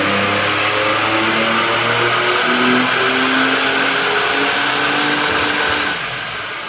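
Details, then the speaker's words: Toyota N70 Hilux with Raptor supercharger, new fuel pump and custom factory-ECU tune, dyno run (about 130 kW/260 Nm stock to 230 kW/nearly 400 Nm): strong steady roar, rising blower whine smooth under load, then easing; healthy. "uh so we'll let it warm up I'll get a f together we'll load that in we'll do a run and see where it goes"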